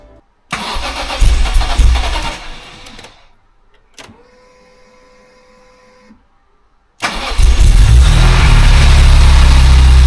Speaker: I'm not sure if you can hear me or not, but yeah, it started, no issues whatsoever, and I'm happy.